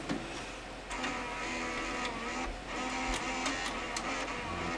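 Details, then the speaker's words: Sony SLV-595HF hi-fi VCR with a tape loaded, giving audio but no video: busy, loud whirring and clicking from the tape transport; the owner suspects it is eating the tape. "It's kind of loud. Well, we got some audio, but no video. Hopefully it's not eating the tape. And it sounds like it's eating the tape."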